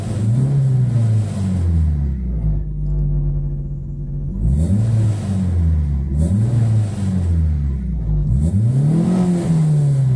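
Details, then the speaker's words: Cabrio with LE-Jetronic injection that had randomly flashing dash lights and misfiring, fixed by chemically cleaning the distributor part; after running a long time it revs up and down smoothly with no stumble or cutting out; normal revving. "Problema resolvido carro tá funcionando há bastante tempo posso acelerar à vontade"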